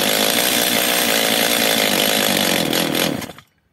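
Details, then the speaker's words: Stihl MS 230/250 chainsaw, first start on choke. It buzzes high and ragged for three seconds, then sags and cuts out as if out of fuel. Carburetor problem or air leak suspected, not confirmed. "Czyli pilarka pracuje tak jakby kończyło się paliwo jeszcze raz ssanie"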